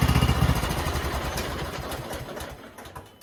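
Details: Cub Cadet XT1 LT 42 riding mower, about 65 degrees, after spring oil change: catches and settles into an even, steady beat without misses or knocks; normal start and idle, ready to cut.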